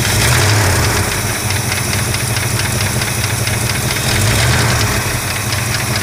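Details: 1965 Chrysler 413 V8, warm: loud rumbling idle with a fast, loosely regular tick riding over it; owner suspects lifter tick, cause not confirmed.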